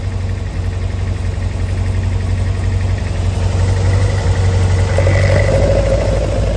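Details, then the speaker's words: Engine with Arduino VVT controller idling below the 1500 rpm threshold: plugging in VVT advances cam timing, idle turns lumpy, deep pulsing beat swelling; cause was two wires reversed on the MOSFET, fixed afterward. Rough idle from VVT engaged at idle. "As soon as I plug the VVT in, even with it ticking over below the threshold, which is 1500, as soon as I plug it in, that's turning the VVT on. You can hear it."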